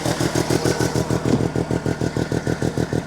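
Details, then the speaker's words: 1971/1972 Arctic Cat Panther with Sachs Wankel 303 rotary engine, cold start at about 15 below wind chill, choke partly on: fast steady slightly high idle, considered normal cold; owner says warm idle isn't smooth. "little bit high idle of course I got the choke on a little bit it's cold that's how it should sound a little bit idled down though"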